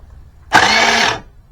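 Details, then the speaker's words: 1984 Honda Spree two-stroke scooter stored about 30 years in a shed, starter tried with the parking brake on: brief high whir under a second with no cranking beat; starter spins without engaging, owner suspects the Bendix isn't jumping out. "it's like the like sounds like the bendex isn't jumping out hit that a little Lube too"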